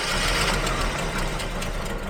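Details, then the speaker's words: 1980s Jaguar XJ40 whose old engine ran about 50 km without a fan belt and severely overheated: rough running with uneven puffs and chuffs, no steady beat; owner suspects a bad head gasket, later swapped out. "Oak and the puffing I think we have a bad head gasket"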